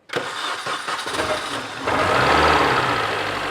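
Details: 2004 Mini Cooper S near 200,000 miles, started after repair and reconnecting the coils: a brief crank of about two seconds, then it catches cleanly and settles into a steady idle; a healthy start.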